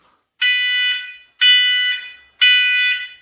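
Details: First Alert SMCO500V battery-operated combination smoke and CO alarm, just installed, sounding three loud shrill beeps about one a second while its test button is held after a 55 ppm carbon monoxide alert; normal.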